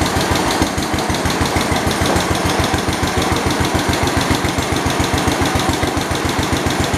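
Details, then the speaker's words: 1972 Homelite T10 lawn tractor, the tenth ever built: fast, even exhaust pulses at steady speed with no knocks or misses; runs healthy, though the generator light stays on and it isn't charging. "my generator light is still on it's not charging that's not good it sounds really good sounds good and healthy"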